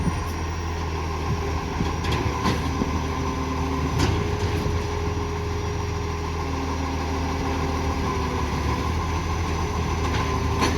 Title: 2518 (old contract truck) on Murray bridge garbage exhaust leak